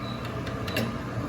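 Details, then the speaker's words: Gas cooktop igniter snapping repeatedly, sharp dry clicks, about four in under a second, due to moisture inside after wet cleaning with the rubber seal removed or refitting it damp. "vai ficar com aqueles estral né tipo ess esses ess estralo aí do para acender ele vai ficar com estal pac pac pac e pode ser umidade aqui dentro ó"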